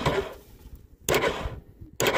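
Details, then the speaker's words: Four-wheeler, start button pressed with mic near the solenoid: two sharp clicks about a second apart, no cranking; switch and solenoid working. "If your switch is working and your solenoid is working, but your starter is not, you'll actually hear this thing click when you press the start button."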